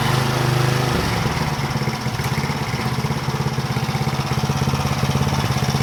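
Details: Power Trim edger after fitting a new Pulsa Jet carb kit: small single-cylinder engine holds a steady, even putter of about three beats a second with no surging or hunting; runs healthy.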